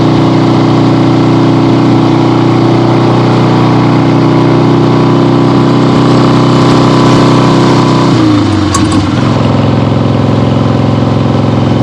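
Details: 1975 Harley-Davidson XLH Ironhead Sportster, freshly rebuilt and basically stock, on a test ride with the camera clipped to the rider: steady, even V-twin lope with firm low rumble, brief throttle change near the end, no knocks or misses; healthy.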